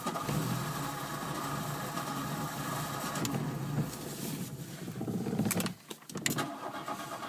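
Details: Hard-starting Mk1 petrol car after a relay install: drawn-out cranking churn lasting several seconds before the engine finally catches; cause undetermined.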